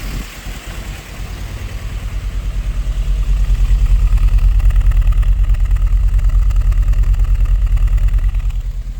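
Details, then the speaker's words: Nissan S13 200SX Turbo abandoned for years, just started: low idle with lumpy, pulsing beat, slight swell and sag; rough idle, no oil pressure noted. "It bloody runs. Come on! Oh, it's running bad."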